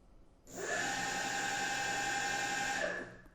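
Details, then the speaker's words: DIY electric bicycle hub motor with Hall sensors on a VESC controller, re-run detection after raising current to 10 A: clean even whine spinning up, holding steady, winding down smoothly; healthy motor. "we go that sounds much better and if you look at your vehicle you can see it spinning up the motor"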